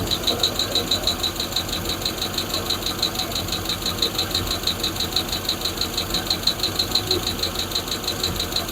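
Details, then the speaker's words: Freshly built Hemi V8 in a Plymouth Duster on first fire-up, homemade intake, temporary wiring and fuel cell: a sharp light tick about three times a second over a smooth idle, one lifter ticking; oil later found low; high-volume oil pump fitted. "Everything sounds great. I just got that one tick. I don't know if you guys can hear it."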